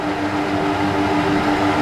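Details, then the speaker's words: Trotec TTK 75 E dehumidifier running, sound test: steady airy rush with a constant mid-pitched hum, no knocks or scraping; mostly the blower-type fan heard, compressor almost inaudible. "In all honesty, you can mostly hear only the fan. Blower type fans are noisier than standard type fans. You can almost not hear the compressor at all."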